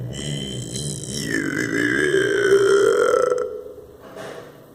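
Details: Bathroom sink drain: wet, burping gurgle rises and warbles a few seconds then fades; air drawn through the drain, cause unknown.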